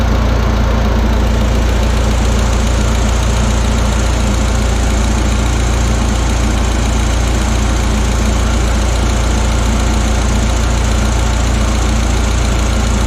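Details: Audi A4 B6 1.8T freshly rebuilt engine (wiseco pistons, forged K1 rods, temporary intercooler) idling after first start: deep, steady idle with an even beat around 3–4 per second, no loud knocking; runs smoothly.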